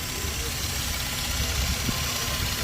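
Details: Toyota Land Cruiser V6, previously crank-no-start with fuel pump relay in question: engine holds a steady, even idle with no knocks, misses or surging; healthy idle.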